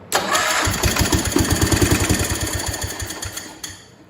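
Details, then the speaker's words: John Deere 140 H3 garden tractor with replacement single-cylinder engine, first start attempt with fuel added: slow, uneven cranking about three turns a second, a couple of stronger puffs as it almost catches, then dies; spark was present, cranking speed low. "It did have spark when I checked it, so it wasn't spinning very fast."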